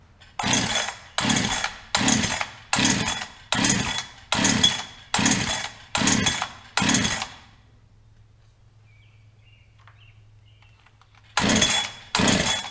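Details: Brand-new Holzfforma 372XP chainsaw from the box, choke on: about nine steady cord pulls, roughly one a second, and it never catches. It is flooded; it later ran with no choke and full throttle.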